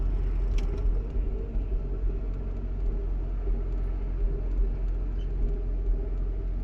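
Deep, lumpy idle with an uneven low rumble that rises and dips irregularly instead of holding steady; rough idle once hot.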